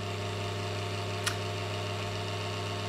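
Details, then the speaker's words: Desktop PC with a newly installed power supply, powered on with the other devices disconnected: the PSU whirs and the motherboard fan gives a steady droning hum with a rough, buzzy edge, noisy because of dust in the fan. "and we have a good sign we here the power supply turning on and the fan on the motherboard is also spinning it's making noise because there's some dust in that fan"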